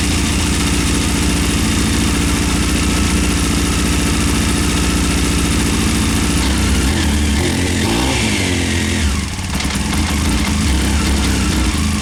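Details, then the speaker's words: 1998 Honda CBR after carb rebuild, new spark plugs and K&N air filter: loud idle with an irregular beat, and the revs stumble and choke out on each throttle blip; owner suspects a vacuum problem, unconfirmed; bogging on throttle blip. "the bike runs it starts just when you do the throttle blip it just chokes out might be vacuum might be something not sure"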